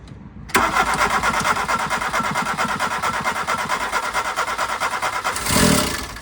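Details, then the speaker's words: First start of a MK2 Golf 1.6 Driver engine with new battery after a muddy ignition module caused loss of spark: cranks briefly, catches, holds a fast busy idle well above normal; throttle suspected stuck slightly open. "As you can see, it is starting. Now we've just got to do something with that throttle. It's probably stuck on a little bit."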